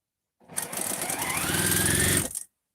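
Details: Fast, steady sewing-machine stitching buzz for about two seconds, then it stops; sounds thin like the bobbin is running out, though the sewer thinks it probably still has bobbin thread.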